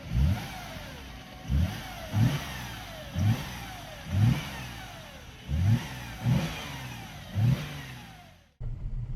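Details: Mercedes E350 3.5 V6 after engine rebuild (previously knocking and smoking): eight quick throttle blips rising cleanly and settling to steady idle, no knock or miss, no smoke; normal revving.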